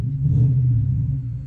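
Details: 2003 Toyota Hilux manual with 1UZ non-VVTi V8 engine swap; deep, smooth V8 rumble swells briefly and settles without knocks or misses, healthy.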